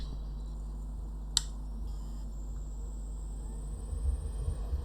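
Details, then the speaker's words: 3.5" hard drive from a CCTV DVR4-4575 that doesn't work, spinning on the bench over USB: steady low vibration buzz with a faint high whine and one sharp click. "and you can you can hear that buzzing sound like a vibration hopefully it's it's recognizable on the camera"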